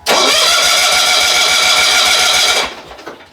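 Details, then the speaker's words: 1970s John Deere 70 skid-steer, 2-cylinder, key on with choke and a little throttle: harsh cranking with a steady low chug for about two and a half seconds that never catches; engine flooded, plugs found wet, fix is removing plugs and cranking choke-off. "Yeah, so for a flooded engine, you just want to remove the spark plugs."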